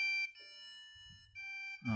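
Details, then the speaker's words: Lenovo desktop PC: long high beeps repeating with short gaps, no startup and no display on the monitor; continuous alarm from a faulty or badly seated RAM stick. "alarm terus enggak ada tampilan di monitor"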